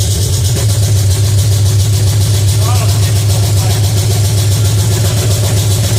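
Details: Pontiac 350 V8 in a '50 Pontiac gasser, first fire-up, timing about 8 degrees: strong, steady low drone at a fast, even idle that never settles; the electric choke is not connected, so it stays on.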